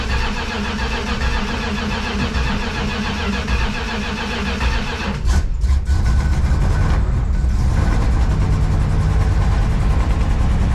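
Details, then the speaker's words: Junkyard Plymouth Fury wagon (believed 1965) V8, sat about 20 years, timing not yet set: uneven cranking with weak catches that never run; fuel pump not primed, no fuel reaching carb bowls. "Oh, this pump didn't get primed. That's what's happening right now. So, not getting any fuel to the bowls."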